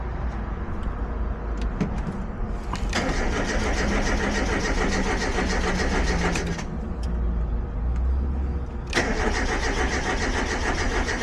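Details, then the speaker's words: 1990 Mazda Miata with 1.6-to-1.8 engine swap on standalone ECU: starter cranks at steady even rhythm with good RPM sync and fuel pump running, but engine never fires; injectors suspected, unconfirmed. "Okay, so we got a good RPM. I can hear the fuel pump running. We've got RPM sync, but still no start."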